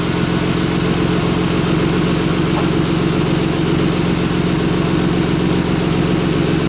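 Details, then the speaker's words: A BMW E36 M3 being readied for sale runs an even, steady low idle around 500 rpm with no misses, ticks or knocks. This is a smooth, healthy normal idle. "guys can see how just smooth this car is running, and it's running at 500 RPM, but it's just nice and steady, very smooth, and it sounds good, it sounds healthy, it's really a good car."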